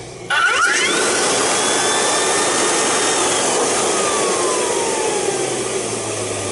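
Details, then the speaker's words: Rainbow E2 Gold 2-speed vacuum after repair, with the broken basin contact bypassed with a screwdriver: the motor kicks on with a sharp whoosh, and the whine climbs quickly to a steady high hum, a healthy start. "It's such a strange sound when it starts up. I love it."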